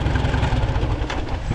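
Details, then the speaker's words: Farmall Super A antique tractor with idle turned all the way down: soft, slow, even chuffing so quiet it is barely audible, no misses or knocks; normal low idle. "Jeez. Can you hear it running? I can barely hear it running."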